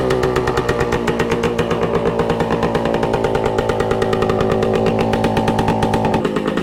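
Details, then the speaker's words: 1966 Suzuki Bearcat 120cc two-stroke, revived after sitting dormant: crisp, even burble with steady fast pulses that smooths slightly as it warms up; healthy idle, run to find a suspected leak. "It's settled down a bit now that it's warmed up a little bit. Sounds good."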